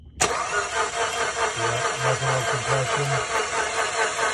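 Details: GM 3.6 V6 in a 2009-2017 Buick Enclave that broke down, crank no start, cam sensors reading zero, compression tester fitted; light, quick, uneven cranking with no compression, never catches; stretched timing chain, bent valves.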